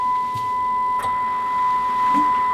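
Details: Kenwood TS-950S main receiver with an intermittent dead-receive fault, fed a 1 µV FM test signal with 1 kHz tone at 5 kHz deviation: a clean, steady tone over low hiss with no dropouts.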